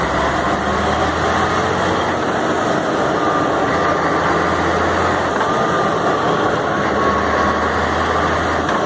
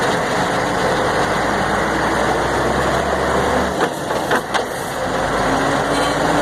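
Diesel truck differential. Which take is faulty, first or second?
second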